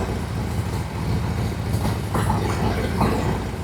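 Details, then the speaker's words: 1999 Harley-Davidson Road King, carbureted, after carburetor replacement, warming up without choke: loping, uneven V-twin idle with a steady low thump and a light tapping on top; runs fine, though it smokes heavily from the exhaust at startup. "Let's warm it up a little bit here. Let's get it warm. Sounds like a brand new bike. Wow. Warm it up with no chokes."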